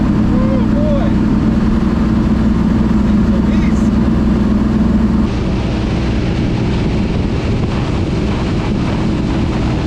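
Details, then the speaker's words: Ford Thunderbird NASCAR stock car V8 on its first road test after reinstalling the starter and tightening the headers; deep, steady rumble at constant speed that eases off throttle midway, smooth and even with plenty of power, normal running under load. "uh yeah that was cool the car runs great plenty of power"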